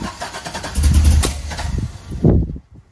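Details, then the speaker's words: 1985 Camaro Z28, 5-speed, LS engine swap, first start: uneven cranking chugs, one loud pop, then dies; no-start with backfire because number two and eight coil leads were swapped. "that's basically all it end ended up being was um number two's Co was on number eight number eight was on number two so if you could just imagine that being flip-flopped"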